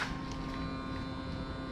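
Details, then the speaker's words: Honda Beat, Genio or Scoopy (2020–2021) fuel-injected scooter at key-on: a steady electric hum under two seconds, then stopping. This is the fuel pump priming normally, drawing fuel from the tank to the throttle body. "Nah, itu suara dari pump bensin. Jadi pump bensinnya itu akan sedot bensinnya dari tangki bensin ke throttle body."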